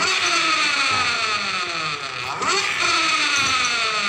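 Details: Honda Beat Pop scooter revved on a stand: coarse, gritty growl from the CVT that rises in pitch with engine speed and gets rougher, from a worn final reduction gear.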